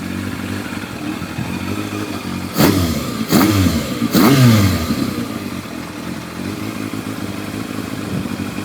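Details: Yamaha FZR1000 four-cylinder with rebuilt carburetors at steady, even low idle, no misses or hunting, some handling clatter; Digi Sync reads all carbs 58–60, within much of a muchness, well balanced.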